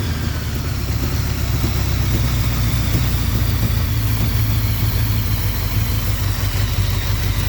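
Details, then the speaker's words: 1981 Honda Goldwing after single-carburetor kit modification and vacuum fix, fuel pump primed: steady deep even idle, no misses or hunting; started easily, idle a bit low and carb tuning needed, vacuum issue seems resolved. "i might wanna bump the uh idle up a little bit just because this bike can rot grab up to can rev up pretty high so some tuning on the carburetor is required but as far as the vacuum stuff sounds like it's good to go"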